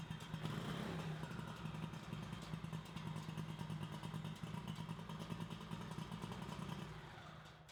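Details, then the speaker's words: Craftsman GT6000 garden tractor single-cylinder engine running fast with steady low throb and clattery exhaust, revs raised by an added counter spring against the factory governor; sounds healthy and smooth after the flywheel install that previously sounded bad. "And so, and last time when we finished installing the flywheel, it kind of sounded like crap, but now it runs real good. So we'll fire it up here and show you what that sounds like."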